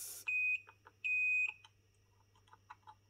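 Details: Meter gives two sharp high-pitched beeps of about a quarter second each in a quiet room while checking a worksite radio's circuit for a ground; continuity beep confirms ground.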